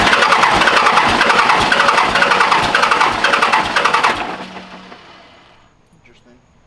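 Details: Cummins-swapped Ramcharger first startup after new wiring: starter churns evenly about four seconds, roughly two strokes a second, then quits; engine never catches, priming questioned. Cause suspected, not confirmed.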